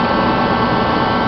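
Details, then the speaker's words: Rebuilt Mr. Heater contractor-series torpedo heater, freshly started on under a quarter tank of fuel, pump pressure about 8 psi, nearing maximum burn temperature within 30–60 seconds; steady even roar with constant airy rush, no sputter or pulsing; normal steady burn. "you hear it in about 30 seconds to a minute it should be at maximum burn temperature"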